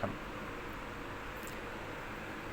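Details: Repaired 16-inch Hatari fan after fixing incomplete oscillation with a grinding noise: steady, even airflow hiss with no clicking or knocking; normal smooth oscillation.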